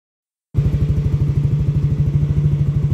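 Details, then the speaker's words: Yamaha Aerox scooter test ride after removing an added out-of-spec ring that caused a rubbing noise: steady, even low engine pulse at about three per second, no scraping or rubbing; drive runs clean. "ini kita coba sudah test Ride untuk motor sudah aman ya tidak ada suara seperti yang bergesekan seperti yang di awal tadi ya"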